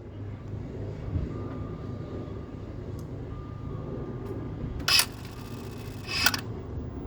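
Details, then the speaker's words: Car with a cranks-but-won't-start problem, quiet cabin at key-on: two short whirring buzzes about a second apart as the throttle body motor sweeps open and shut to self-calibrate, showing the motor works. Normal throttle body self-calibration. "See, now that means the throttle body motor, it's working because it opens up and turns off. Right, it's like calibrating itself every time the ignition is on, right?"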